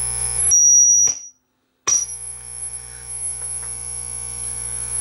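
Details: Marantz 1120 integrated stereo amplifier squeals loudly through the speakers on all sources: high steady tones cut out and return. The cause is oxidized shorting plugs making a poor ground connection.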